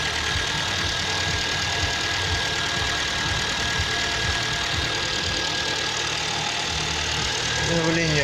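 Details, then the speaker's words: Freshly overhauled engine just after its first start, oil pressure light out: an even idle with a light steady tick and hiss while gaskets and joints burn in, running normally. "потухло. Мотор работает. Сейчас обгорят все прокладки, соединения."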